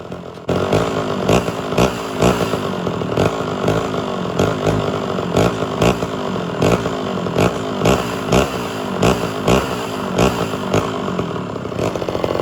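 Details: Homelite Super XL chainsaw after cylinder and carburetor rebuild, during low/high screw and idle tuning: crisp two-stroke buzz holding steady with regular clean rev surges about once a second, no stumbling; normal running.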